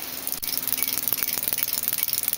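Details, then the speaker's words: 1968 Charger with MS3X Megasquirt, engine not running, injectors cycled in test mode at 15 ms pulse width, 1000 injections, simulating 2398 rpm: fast, even ticking of about twenty clicks a second with a faint hiss; injectors firing normally. "so now you can actually hear the injectors firing I think this is a great Tool uh if you wanted to try to find a bad injector"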